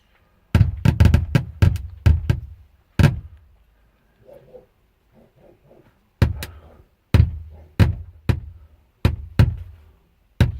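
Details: Head unit connected with power: sharp, loud pops in clustered bursts of five or six with quiet gaps between.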